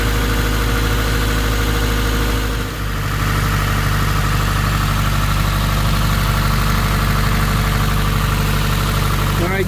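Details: Subaru WRX 2.0 boxer at idle after replacing all valve shims, warming to temperature with RPM dropping; previous owner reported driver-side ticking. Loud even flat-four idle, no valve tick: normal idle, lifters now quiet.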